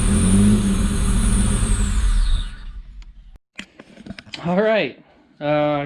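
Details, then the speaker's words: 1985 Pontiac Fiero first start in 19 years on starter fluid, fuel pump suspected dead: catches, runs rough a couple of seconds, then dies like fuel-starved; 60 psi oil pressure at startup; runs briefly then stalls. "believe that that worked out pretty well so I'm gonna try to figure out the fuel system that way we can get it run longer"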